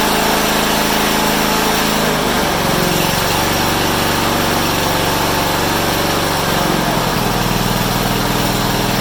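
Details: Honda HRU196 mower after carburetor cleaning, reassembly and a fix for a long-standing fuel restriction: runs at high speed with a strong, even buzz and no surging or stumbling; runs better than in a long time.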